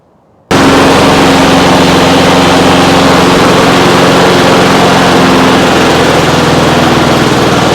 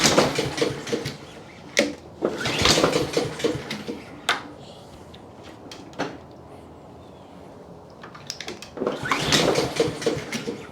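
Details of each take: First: Trash-picked Honda HRX217 (HRX217TDA) self-propelled 21-inch mower, possibly GCV160/GCV190 engine, started hard on choke, possibly a carb issue: loud steady single-cylinder drone at even speed without misses or surging; clearly a runner, wheels drive. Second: Trash-picked Honda HRX217 (HRX217TDA) self-propelled mower, first start attempt initially without choke: several recoil pulls with brief sputters that don't catch into a steady run; hard starting, carburetor issue suspected, not confirmed.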